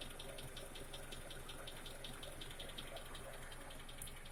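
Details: Honda CR-V K24A engine at idle: light, sharp ticking about two to three times a second, tracking engine speed, over a quiet idle; valve tick.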